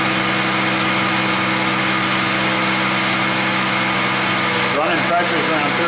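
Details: 2000 Ford Mustang after fuel pump and fuel filter replacement fixing no-start from no fuel pressure (about 50 psi primed): steady, even idle with smooth hum, no misses, knocks or surging; healthy.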